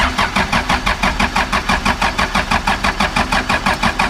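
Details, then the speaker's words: 2000 Ford F150 with swapped Cummins 4BT diesel and M5R2 5-speed, cranking cold: strong, even cranking at about three compression beats a second, no stumbles; good compression, starts with a little white smoke, sounds tight. "she sounds good a little bit of white smoke but I was cold but it's cold God she sounds good she sounds tight"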